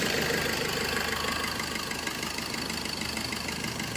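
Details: Suzuki Swift Dzire AMT diesel after repairing a wiring harness shorted to body that set an engine coolant temperature sensor circuit code and caused ~1500 rpm variation and no AC cooling; codes cleared, now steady even idle, no misfire or surging.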